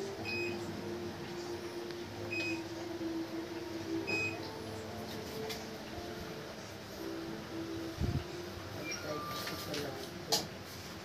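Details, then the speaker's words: Fujidenzo automatic washing machine after repair of a very noisy gearbox, test run: soft even motor hum with a few panel beeps, no grinding or knocking. The earlier noise is gone; gearbox runs quietly. "So yun guys, successful yung ginawa natin guys. Wala nang ingay."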